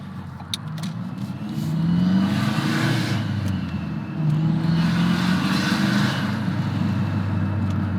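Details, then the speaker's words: Modified, tuned turbo car with Mountune intercooler and charge pipes, driving with the window down: uneven throaty note with a faint rising whistle under load; owner suspects the charge pipe, though the pipes look connected. "does not sound good a little puzzled on what's going on I'm not 100% sure but I do know we have a major problem most likely it's going to be my charge pipe"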